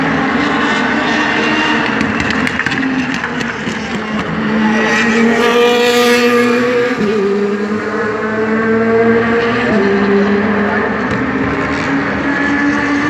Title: DTM 2017 V8 Misfireing